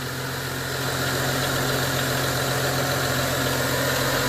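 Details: BMW E90 335i N55 at idle after replacing drive belts and pulleys: steady, even idle with a smooth low hum, no squeal, chirp or ticking from the belts; the earlier noise is gone.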